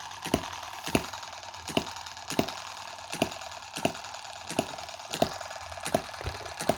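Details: Tiny Chinese M17 4-stroke gas hit-and-miss model engine, oiled and with no water in the hopper: sharp single firing pops about every three-quarters of a second with a light mechanical patter between. Even, normal hit-and-miss running.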